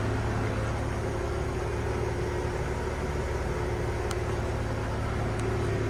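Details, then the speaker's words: 1970 Ford F100 inline-six idling just after the charging fault was found: low, even hum with a steady pulse and no knocks or misses. It purrs, quiet like a sewing machine; normal idle. "I don't know if you can hear that or not, but purrs, and it's just quiet. It's like a sewing machine."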